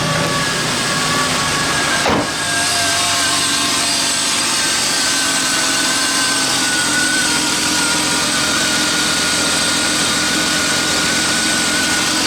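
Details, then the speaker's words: BMW E36 328i convertible after new spark plugs, previously rough startup: steady, smooth idle with a constant whirring note, no shakes, misses or dips; smoother than before, normal idle. "so i mean it only ran for a minute before but it definitely sounds a lot better um it already sounds smoother"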